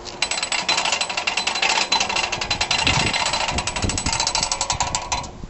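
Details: 2012 CraftLander NuCraft 6000 hoist during assembly: crisp, even ratchet clicks in quick bursts as the winch handle is cranked, with no slipping or grinding. The winch is healthy.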